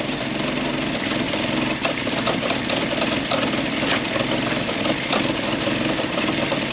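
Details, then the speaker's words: Old Ford Willys Jeep with Go Devil four-cylinder, sat many years, first start on choke after starter work and fan belt tightening: steady, even idle with light regular ticking and no knocks or rattles. "Don't hear no knots, rattles. Oh, and I did tighten up that fan belt. And it's idling."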